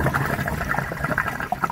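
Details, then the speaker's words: Crawl-space sump pump, one of two pumps below sea level, near the end of its draw-down: wet, bubbling gurgle from air in the discharge due to a faulty check valve. "you hear that gurgling so that's air and something's wrong with the check valve"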